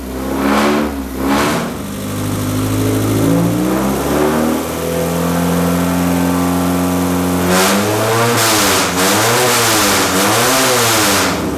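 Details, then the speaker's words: Rat rod truck first start after radiator leak repair, slightly warm, no choke, possibly over-fueled: catches and idles, pitch rising and falling smoothly with throttle blips; runs even, just loud at idle, no leaks. "just gonna give it a little bit of throttle yeah that's what I'm talking about"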